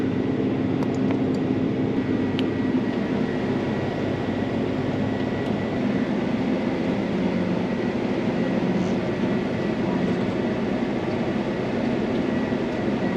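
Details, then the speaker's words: Case 8250 combine after repairs, running at full throttle with rotor turning: steady, even diesel drone with low rumble, no knocks, rattles or abnormal vibration; normal engine run. "Anyway full throttle and everything no nothing no weird sounds or anything no shaking weird any vibrations that are seemed unnormal or"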